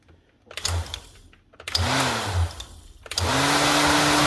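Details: Webb W20LT 20V cordless strimmer that wouldn't start, after picking out debris jamming the head at the motor; motor spins up in short bursts then holds steady clean whir with slight rising tone, runs freely, no grinding.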